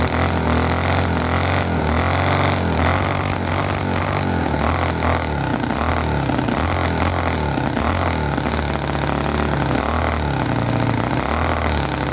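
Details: Chinese commercial model V-twin engine, possibly the Cison FG-VT9 9cc or Microcosm R28 4.3cc. Fast, ragged misfiring with popping explosions at the exhaust, won't settle to a slow idle; oil coming out, fuel tank thought not good enough.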